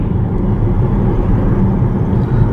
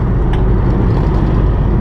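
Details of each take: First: 2011 Nissan Rogue SL AWD 2.5 four-cylinder, 167,000 miles, driving at 40 mph after replacing staked driveshaft U-joints: steady low road rumble with no rhythmic drone; former driveline noise gone, smooth and quiet. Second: 2011 Nissan Rogue SL AWD 2.5 four-cylinder, 167,000 miles, driving; steady low rumble unchanged when turning hard either way, so not a wheel bearing, worn staked driveshaft universal joint.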